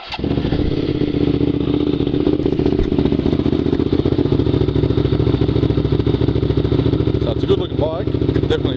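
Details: 2010 Hyosung GT650R, de-restricted, with K&N air filter, Two Brothers pipe, iridium plugs and dyno tune (71 hp): deep, throaty twin pulsing around three beats a second, steady with no popping or misses.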